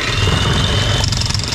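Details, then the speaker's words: Hitachi jackhammer after rebuild (piston had been stuck in the barrel) running with a steady motor drone and a dense, strong percussive beat underneath; hammer mechanism now striking firmly, normal hammering. "That's what you want to see, because now it starts knocking and I believe it's very strong now."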